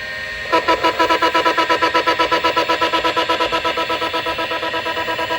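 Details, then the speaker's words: ST251 MFM hard drive on a Commodore D9090 controller spinning up: rising whir with rapid rhythmic chatter near three pulses per second; normal spin-up with no errors. "The sound of an old MFM drive spinning up is actually pretty cool and it's worth a listen, so I won't talk over top of it for a few seconds."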